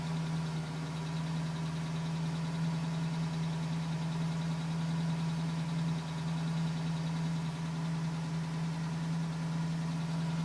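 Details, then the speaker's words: 2010 GMC Sierra V8 with 2000 miles, cold idle: faint light tapping about a hundred ticks a minute over low rumble, still at 4 minutes, stopping at 5 minutes 42 seconds as it warms; owner suspects piston slap, unconfirmed. "Still tapping at 4 minutes. Tapping finally stopped at 5 minutes and 42 seconds."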